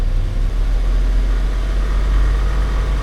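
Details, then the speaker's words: Isuzu NPR diesel at raised rpm with failing brake booster vacuum pump giving only about 12 inHg and a booster alarm: steady low rumble with a faint light rattle that eases when revs drop; pump starting to die. "It's got a little rattle to it. Then when I let off the revs, it goes down a little bit."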